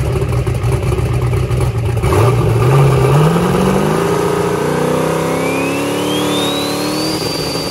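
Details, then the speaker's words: 364ci engine with a Forced Inductions GTR 102 turbo on Holley EFI at the track, spooling: the engine climbs, sags briefly, then pulls on as a rising turbo whistle builds, because too much timing was being pulled during spool-up. "okay so here is that spool up that you just heard and i still was pulling a little bit too much timing out at this point"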